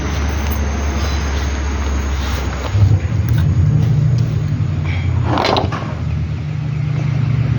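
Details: Toyota Estima petrol engine idling with deep, uneven knocking rumble underneath; suspected worn balancer gear.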